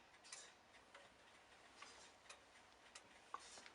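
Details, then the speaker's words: Antique longcase grandfather clock being set up, heard at the top back of the case. Crisp ticks come with uneven tick-tock spacing, a long tock, so it is out of beat. The fix is pushing away from the long tock until the beats are even. "This clock is out of beat. If you can listen carefully, it's going tick, tock, tick, tock. You need to adjust this beat, and the way you do this is you need to go to away from the sound of the long tock."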